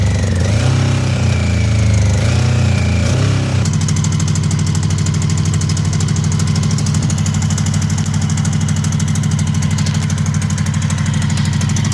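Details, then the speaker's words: Honda CB750 with 65,000 miles that sat outside for about a decade, started with starting fluid and fuel. It settles into an otherwise smooth idle with a fine metallic rattle of unknown source riding over the beat. "So apart from the rattle and the whole condition of the entire bike, I'm amazed at how smooth the bike is running at tick over."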